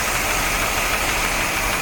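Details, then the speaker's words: 1973 Corvette Stingray 454 big block, revived after sitting since the 1980s, carburetor rebuilt: hissy, unsteady idle with light irregular ticking and uneven pulses, misfire on #8 cylinder; owner doubts a distributor cap will fix it, suspects worn engine or valves not sealing, plus a knocking noise. "i don't think a new distributor cap will fix this it might be that the engine's just worn out i mean it might be you know the valves aren't ceiling on number eight"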